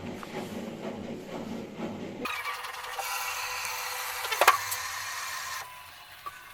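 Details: Bosch Max 5 Speed Edition washing machine that would not drain, after repair of the drain pump's broken impeller: a steady pump hum with water rushing through, then a clean stop; draining normally.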